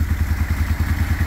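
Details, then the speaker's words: 1995 Suzuki Intruder 800, first run after 13 years stored, carburettors rebuilt and cleaned. Lumpy idle with uneven thumping puffs about seven a second: a big exhaust leak, and carbs not yet synced with throttle cables unconnected. "There is a fat exhaust leak right here. I gotta fix that. But my next step is now getting the throttle lines on there correctly, so that way we don't have to do this separate carb acceleration."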